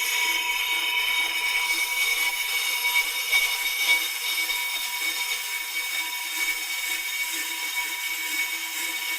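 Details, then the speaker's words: Pro-Cut 9.2 DRO on-car brake lathe switched on, auto stop set, feeding toward the hub to set cut depth on the rotor: steady high even-pitched whine, no grinding or chatter; normal operation. "So with my auto stop adjusted and the lock nut tight, we're going to go back in. I'm going to turn the machine on."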